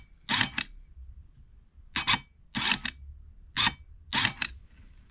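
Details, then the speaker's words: Mini Cooper F55 new EGR valve bench-tested with ground on pin one: short, even whirring bursts as the actuator cycles, smooth with no rattle or play, unlike the rough-sounding, loose old valve. "that sounds much better that sounds nice and smooth yeah before that sounded really rough"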